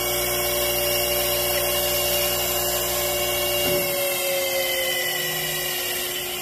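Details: 1945 GE 3-phase 5 HP saw motor, first test run before rebuild on rotary phase converter: loud steady high whine slowly falling as it coasts down, taking about 30 seconds.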